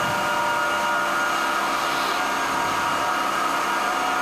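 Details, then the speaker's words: SAQ Grimeton 1924 Alexanderson alternator VLF transmitter (17.2 kHz): cooling fan number one started with star-delta control, air inlet opened, steady rushing whir with hiss of air blowing into the high-power relays; normal cooling fan run. "So the fan is also started with a delta y control. And now he also open the inlet of the air. And now we can hear the hissing noise from the air blowing into the relays, the high power relays."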